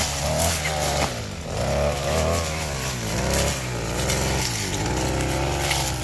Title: Ada yang tau suara mesin rumput yang ngorok